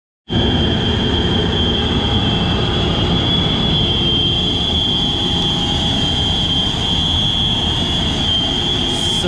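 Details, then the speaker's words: Baldor motor in a kitchen exhaust fan: steady high-pitched bearing whine held constant over the fan's rushing air; worn motor bearings, to be replaced. "like a cry for help got some bearing wine right here we're going to be changing the bearings out on this ball door motor"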